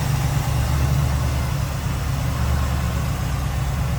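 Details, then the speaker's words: 1979 Chevrolet Camaro Z28, largely stock 350 small-block V8 with TH350 automatic, warmed up and idling down; steady even low rumble with no knocks, misses or ticks; normal idle. "As you can hear and see it idled up a little bit. Or excuse me, warmed up a little bit and idled"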